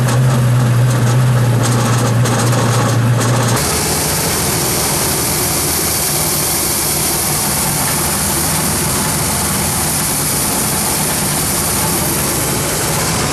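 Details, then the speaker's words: Shoal Runner jet boat engine running on a hose after being swamped with rainwater and mothballed: a steady rough idle with a regular knock about three to four per second. The owner suspects the pump shaft u-joints or a seizing front shaft bearing and thinks the engine is fine; not sure. "it's either the u-joints and there's a bearing in the front of the shaft it sounds almost like that bearing could be seizing but i'm not really sure"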